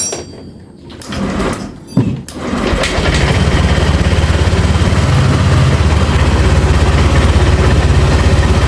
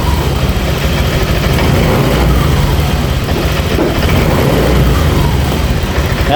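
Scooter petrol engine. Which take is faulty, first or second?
second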